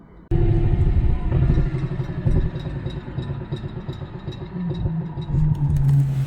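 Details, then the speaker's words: Tesla-motor-swapped Jeep on first drive: light, faint driveline clicking over low hum, louder under regen braking load and seeming to come from the front axle; only under load, cause unconfirmed, owners unsure of the steep driveshaft angle. "See, it's not bad when you drive. You hear a little bit of the clicking. But it's like when you do regen, you hear it more and it sounds to me like the front axle."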